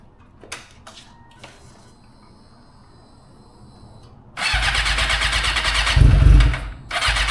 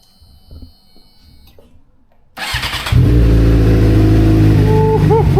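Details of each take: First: 2006 Suzuki GSX-R600, starting, then run about 15 minutes: engine catches, revs briefly, stumbles and nearly dies before picking up again; a cold-start hiccup, cause not confirmed. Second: 2006 Suzuki GSX-R600 cold start after a starting problem traced to old gas, now with half a tank of fresh 93 octane: short crank, fires cleanly and holds a steady even high cold idle, healthy with no stumbling.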